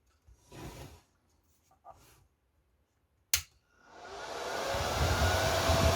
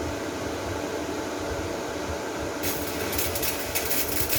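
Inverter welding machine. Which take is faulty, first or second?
first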